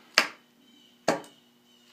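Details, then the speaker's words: Small-engine circuit troubleshooting: with voltage now passing through the safety switches, three sharp single clicks about a second apart show the starter solenoid grounding and its low-amperage side working. Solenoid clicking normally. "so now we are getting voltage through the safety switches to the solenoid and it sounds like it's clicking so that tells us that it is grounding and the low amperage side is functioning"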